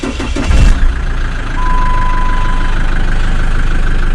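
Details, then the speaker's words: Jeep Wrangler JK 2.8 CRD diesel started right after oil change: short crank catches at once, settles into even steady idle with no knocks or misses; sounds much better than before, healthy start. "I certainly sounds much better than it did that's pretty good"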